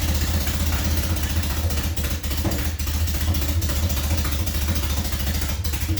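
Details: Nissan Silvia in a cold Canadian winter, after cylinders had flooded with fuel: a loud, raw open-exhaust engine held at a raised, ragged speed that only keeps running on throttle and won't idle.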